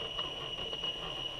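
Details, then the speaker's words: Axial SCX10 Rubicon crawler with Castle Creations Sidewinder 3 sensorless ESC and brushless motor, run very slowly under load: high thin chirping beeps as the ESC fires the phases, stuttering pulses; sensorless ESC cogging at low speed. "now if I just run this really slowly if you listen hear the beep beep beeping that's the ESC firing the phases and it's really slow"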